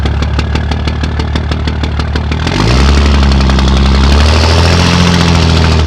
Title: 2004 dodge Cummins rough idle